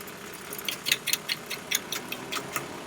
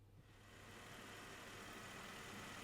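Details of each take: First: 1994 Mercedes C280, under the hood: a sudden, sharp, uneven clicking about two or three times a second over a quiet idle. The fan clutch was first suspected; the fan bearing bracket had failed and was replaced. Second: 1994 Mercedes C280 after replacing the fan bearing bracket and fan pulley, with a coolant flush, to cure a clicky noise first blamed on the fan clutch: steady, even engine hum with no knocks, squeals or bearing growl; fan drive runs smoothly.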